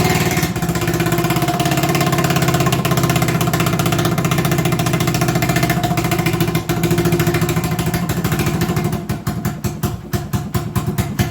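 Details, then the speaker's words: 1980 Honda XL250S single-cylinder at a raised, slightly uneven idle that sags near the end; owner suspects his earlier carb idle adjustment went too far and is turning the idle screw. High idle. "emembered i adjusted the carb to make it idle that day and with the idle the way it is i wonder if i've gone much too far and now it's idling too high if i'm lucky that's the cause of this weird idol"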